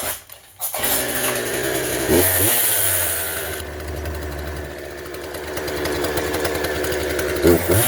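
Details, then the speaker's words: McCulloch 36cc two-stroke chainsaw after a jammed starter was fixed by re-tensioning the recoil spring: fires on the pull and settles into a steady, buzzy run with no sputtering; it runs fine. "Run smooth. All right, there's our quick fix of the evening."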